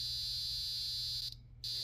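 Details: Tower fan bought in 2010 with a built-in timer: a loud, steady, high-pitched electrical buzz over a low hum, briefly cutting out, constant at night. The circuit board looks fine; the owner suspects it is built in by design. Cause unconfirmed.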